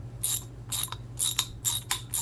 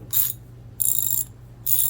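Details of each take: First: Older US-made Master Mechanic T1260 3/8 in round-head ratchet, cleaned and lubed, tightening: crisp clicking bursts about twice a second with uneven spacing as it skips now and then; worn pawls and teeth, not worth repairing. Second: Older US-made True Value Master Mechanic T1260 3/8 in round-head twin-pawl ratchet, after cleaning and fresh lube: three quick bursts of crisp even clicks as the handle swings, no drag; sounds much better.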